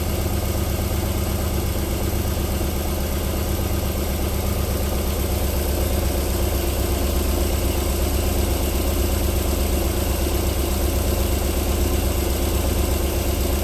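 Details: 1994 Alfa Romeo 3.0 24v QV engine, cold start-up idle with a steady, even low rumble and no knocking or ticking; a normal cold idle, with knocking returning after about 4 minutes.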